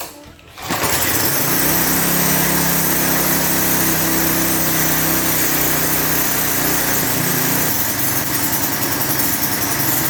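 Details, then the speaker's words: Lawn edger with 3.5 HP Tecumseh engine after a properly installed air filter: pulls, catches and settles into a steady, even high buzz with no stumbling or surging; runs smooth. "It's running better than I thought it was going to. I ain't gonna lie to you. Once I properly installed that air filter, that engine smoothed out nice."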